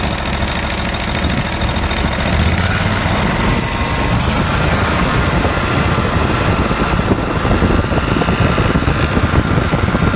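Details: Kawasaki FH601V V-twin on a 1700-hour Scag Tiger Cub mower, after repair of governor fault that revved past 3600 rpm, oil leaks and a clanking worn plate mimicking rod knock; now runs normally at steady, even speed with a smooth low drone.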